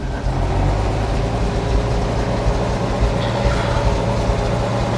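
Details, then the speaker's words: 1957 REO dump truck with a Gold Comet engine, sitting 22 years, dump-bed hydraulics tested after the tailgate chains were unhooked. Engine held at steady speed with a faint even pump hum, no strain or chatter as the bed lifts; the hydraulics work well. "Okay, here we go. Them hydraulics work good."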